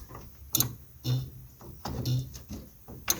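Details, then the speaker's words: 1971 Lincoln Continental Mark III, parked over 40 years, first start attempt: sharp dry clicks in bursts from the main power relay on the back firewall when turning the key, no cranking; relay clicking, no crank. "se I hear the relay clicking that's what you heard when I was turning the key on these vehicles these are a large relay on the back firewall that's the main power relay"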